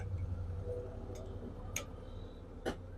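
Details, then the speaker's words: Steering rod rocked by hand gives sharp, irregular metallic clicks over a low hum; a loose, worn steering rack bush causes play and knocking over bumps, to be tightened or replaced. "Rod में प्ले आने की वजह से जब गाड़ी जंप में लगती है तो डक डक की आवाजें आती है।"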